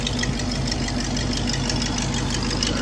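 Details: Restored 1968 Pontiac Firebird at 5-year checkup, idling, heard under the hood: solid fast steady ticking over a rough V8 idle, suspected exhaust gasket leak at the crossover; A/C compressor not engaged.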